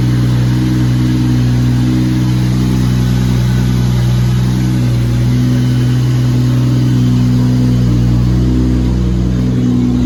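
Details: Lexus SC300 with 2JZ-GTE swap on EMU Classic ECU, not yet fully tuned, 4-inch straight-pipe exhaust: after a cold start, deep loud drone holds a steady, even idle for ten seconds, no hunting or surging. Normal cold idle.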